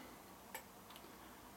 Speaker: when you turn this on like so now you see the lights come on the clicking noise you hear of course that's the sound of the relay clicking the lights off and